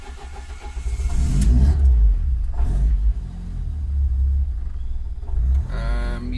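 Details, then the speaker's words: Ford ST170 with GSXR 750 ITBs and ME221 ECU, cranking dwell being remapped, cold: cranks unevenly, catches late with rough flare then settles low; still hard cold starting. "so this is still not ideal it's still not starting as well as I want it to"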